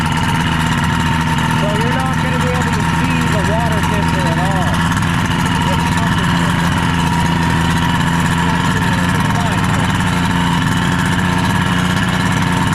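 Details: Rebuilt 1976 Mercury 650XS race outboard, first test run after sitting 20 years, on a 13ft Delta T850 race boat on choppy water; steady, even low burble with no misses, knocks or hunting: normal idle.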